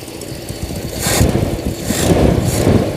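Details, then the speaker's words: Toyota Kijang carbureted petrol engine idling, fuel consumption complaint: rough, rhythmic low puffing with periodic hissy bursts, sounds like a leaking exhaust. "Knalpotmu bocor, kan? Suaranya seperti knalpot bocor."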